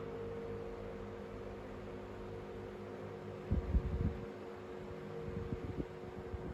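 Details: 1970s/80s Limit Ariel 12-inch oscillating desk fan, square-grille model, on low at about 48.3 W and up to 984 ft/min; quiet steady hum, gentle whoosh and a brief handling knock. Runs smoothly.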